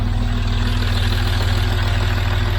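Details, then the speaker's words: 2006 Land Rover Discovery 3 2.7L TDV6 diesel, first run after rebuild with no coolant and loose parts rattling: a low, lumpy, uneven idle. A crankshaft position sensor circuit range/performance fault is stored; the engine is synced to the camshaft but the crank signal is out of range. "we got a crankshaft position sensor a circuit range performance fault so the engine started up it got synchronized to the camshaft but the signal is not in that range"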